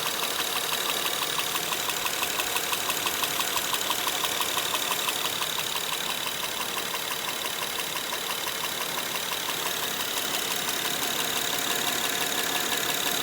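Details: Honda Pilot 2 engine at idle, heard both hot and cold: steady sharp ticking knock about three per second over a smooth idle; internal engine knock, source not pinned down.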